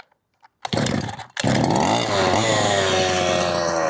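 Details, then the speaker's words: 1/5-scale petrol RC car two-stroke, not run for a long time and not yet at operating temperature. It catches, then buzzes unevenly at a low, wavering, hunting tick-over; it is running lean with the idle set too low. "And in this case, the tick over is a little bit low. Bear in mind, it hasn't ran for quite some time."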